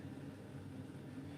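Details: Bryant 311JAV two-burner gas furnace, about 15–16 years old, heard just after ignition: a steady, even low rumble with no pops, rattles or surging as the burners run smoothly; normal burner operation.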